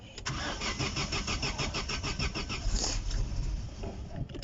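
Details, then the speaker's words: Non-running Opel on first start, only the belt fitted, water pump leaking: catches and stumbles with an uneven, lumpy firing beat that never settles; misfire suspected from bad spark plug contact, unconfirmed. "Sounds like you have bad contact on spark plugs."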